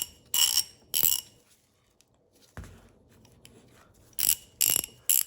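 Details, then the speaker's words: Vintage Ace Hardware 1/2 in drive ratchet: five short bursts of sharp, tinny clicking from the head. Dry ratchet pawl, metal-on-metal teeth with no lubricant, will prematurely wear out. "there's nothing protecting the teeth of the pawl here with the gears of the ratchet head. So, ultimately this thing will prematurely wear out unless we add some lubricant to protect those that metal to metal contact."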